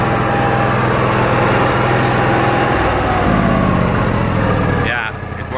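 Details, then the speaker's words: Onan Marquis Gold 5500 RV generator, previously stalling after 15 minutes and not restarting until cooled, now after repair; steady even rumble with regular beat, no stumbling or surging, winds down near end; problem appears fixed, running normally. "so it seems like the problem is fixed but we'll find out so let's start it it looks like the issue is solved works just fine"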